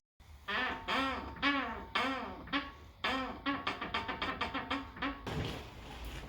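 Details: High-mileage (about 143,000 miles) Tesla Model 3, front left upper ball joint: loud, squeaky creaks rising and falling in pitch, about twice a second, as the wheel turns, like a creaky door; heard before the DIY fix.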